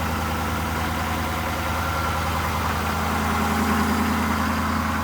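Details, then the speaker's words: Ford 6.7L diesel cold start off the key at -20°C (feels -24°C), not plugged in, two batteries: even, slightly raised idle with steady clatter, no stumbles or knocks; started pretty well, normal cold-start fast idle. "Oh my goodness. Started up pretty good though, really."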